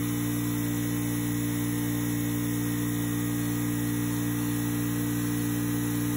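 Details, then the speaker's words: Craftsman 919.165200 5hp oil-free air compressor after capacitor replacement and 220v wiring corrected: steady low even electric hum, no grinding or struggling; pressure switch cuts off just over 100 psi, regulator leaks; normal running. "all right so it cuts off just over 100 not even 110 so that's good"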